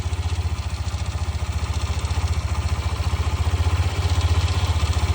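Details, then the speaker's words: Brand-new Hero Xtreme 125R 2026, about a week old, idling in eco mode: steady single-cylinder idle with light metallic "kir kir" ticking like a loose nut; owner suspects tappet or timing chain noise, unconfirmed. "एक किर किर किर किर किर किर किर किर किर किर किर किर किर ऐसा कुछ आपका आवाज़ इसके अंदर सुनाई देगा, जैसे कोई नट हिला हुआ है, कोई नट ढीला हो उसका हिलने का साउंड आ रहा है, ऐसा इसके अंदर आपको साउंड सुनाई देगा।"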